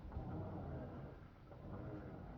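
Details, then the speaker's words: Greased turntable bearing for a budget R2 build turning with a low, soft rumble, no rattle, clicking or grinding; grease quiets the bearing balls. "the grease quiets it down whether you use the Lazy Susan or the Rockler no grease you can hear the bearings in there with grease"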